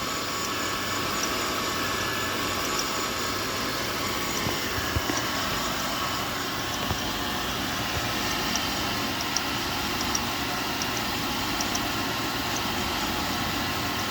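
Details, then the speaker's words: 2000 Buick LeSabre with codes P0300 and P0102, driving poorly: uneven idle with irregular stumbles and sharp ticks over a steady hum, a misfire whose cause isn't pinpointed yet. "I keep getting cold p03 00 p102 got a misfire I can't pinpointed I cannot pinpoint what's going on"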